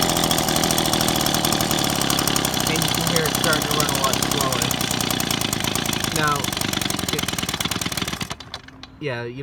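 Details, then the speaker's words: Two-stroke engine with the idle screw turned to the left to lower idle: rapid popping settles into a slow, loping idle, then cuts out; idle set too low, causing stalling. "you don't want to run it too slow because otherwise it will stall out."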